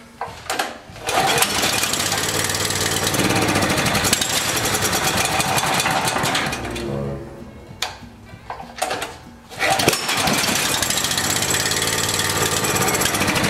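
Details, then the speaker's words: Small generator after reassembly, still only running on choke: rough uneven running with dips and surges; lean air leak persists near the intake manifold area. "i guess that wasn't a problem well we got it all back together and it still runs on choke we still got a problem and it's back there where that manifold is"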